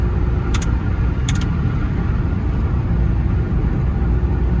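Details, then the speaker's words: Maruti Alto K10 petrol after engine overhaul (head, gasket, decarbonised pistons, timing), 85,708 km, on a 5–7 km road trial: deep, even rumble pulling cleanly under road noise with no misfire or stumble; pickup is fine and speed is accurate. "अरे वाह भाई साहब, तो गाड़ी बिल्कुल चकाचक हो गई हमारी। पिकअप वगैरह बिल्कुल ठीक है गाड़ी का।"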